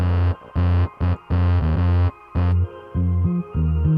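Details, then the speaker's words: Dayton Audio DC130AS-8 replacement speaker, new, in Polk Audio RTI-28: bass notes buzzy and rattling, worse on deeper tones, clean when pressure applied; voice coil rubbing/binding, apparently factory misassembly. "Oh, it's starting to do it again. The voice coil is binding. This thing is not assembled correctly from the factory."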